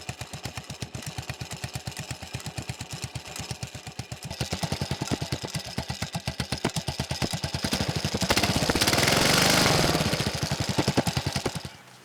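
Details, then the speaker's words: Riding lawn mower with a roughly 14.5–15 hp Briggs & Stratton OHV single, running with a newly fitted tractor-style muffler: hard regular thumping about four per second, swelling as revs rise; owner suspects counterweights or rods knocking inside, plans teardown. "as you heard in the videos I'm having engine issues on this I got a it's either the counter weights are making a noise or the rods making a noise for some reason in it"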